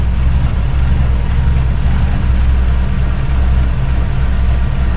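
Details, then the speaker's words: Widebody RHD BMW E36 on individual throttle bodies during balancing. Idle is deep and lumpy with an uneven pulse, and one throttle reads way high: the throttle bodies are out of sync. "That one's way high. So these are all out of sync here."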